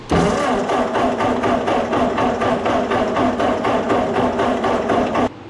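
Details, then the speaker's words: 1951 Ford 8N tractor, revived after sitting: steady, even cranking at about four turns a second that never fires; weak ignition spark, cranks without starting. "bit of a weak spark but uh it's there"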